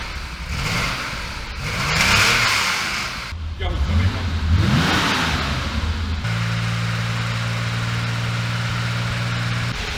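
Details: 1966 Porsche 911 Targa prototype, matching-numbers flat-six (some oil leaks), on a dyno; crisp rising and falling revs, then a steady even drone under load with no knocks or rattles; healthy engine revving.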